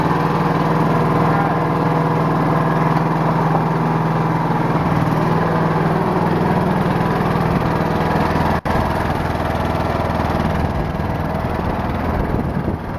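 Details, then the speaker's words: Riding lawnmower with Briggs & Stratton 22 hp V-twin, before fuel line repair of a bad leak: steady, even low idle thump with no misses or knocks; engine healthy and idles low. "all right it's not what i would call fast but it can idle pretty low"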